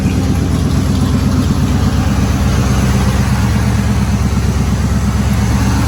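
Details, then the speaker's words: Third-gen Trans Am after a header install, on the open Y pipe with bolts tightened: a loud, deep V8 rumble at steady idle with even pulses and no ticking or puffing. No obvious header leaks; normal idle. "See or heard, it's runs, and I didn't hear very many exhaust leaks, but I am going to go ahead."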